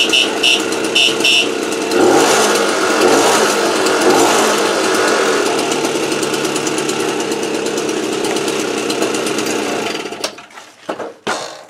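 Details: AV 89 two-stroke with an Ersal 70cc kit, after ignition repair and a correct-thickness head gasket, warming up before hot retorque. Steady, even idle with an early rev rise and no misses or knocks, then shut off; runs normally.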